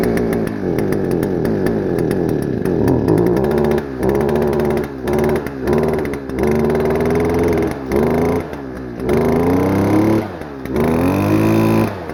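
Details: Stihl FS-250R two-stroke trimmer, long stored with old gas, carb diaphragm hardened, before rebuild, cold rainy day: revs surge and fall back in short bursts with dropouts, never reaching a high scream, smoking; running rich, poor revving.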